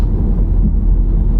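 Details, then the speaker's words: 2016 Honda Civic after pothole damage to the front, rechecked on the road: steady low road rumble, no clunks or squeaks from the front, earlier front noise gone (likely rubber bushings quieted by water); only loose items rolling in the trunk; suspension tight. "we'll check it again here see it's not making that noise it made before he's got stuff rolling in the trunk there's a noise from back there but up here the noise is gone"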